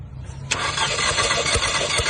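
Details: Compression test on a misfiring car after new spark plugs failed to cure it: even, unbroken cranking rhythm with a steady pulse each stroke on the good cylinder, reading 150; healthy compression, unlike the dead cylinder suspected of a burnt valve.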